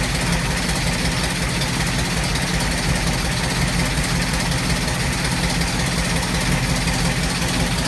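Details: 1989 Ford Mustang LX 5.0 Fox body, 306 stroker with MAF, GT40X heads, Z303 GT40 intake, long tube headers, Flowmaster 40s: deep lumpy V8 idle with uneven stumbling beat; misfire at idle caused by a badly wired MAF.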